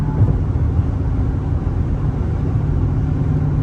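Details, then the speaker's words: Straight-piped V8 Chrysler 300, after fitting muffler/resonators, at highway cruise, windows up, some wind: steady low rumble with wind hiss, no booming drone; normal highway cruise. "Okay, now let me just cruise. I got all my windows set. It's a little windy outside, though. It's gone."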